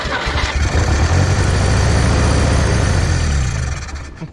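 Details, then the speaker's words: 1964 Jeep CJ-5 that sat in a barn 30 years with a stuck engine, freed using rust remover in the cylinder, now dripping from a holed muffler: it catches and holds an even, throaty low rumble with no misses, seemingly running on all four cylinders. "I I swear it sounds like it's running on all four to me."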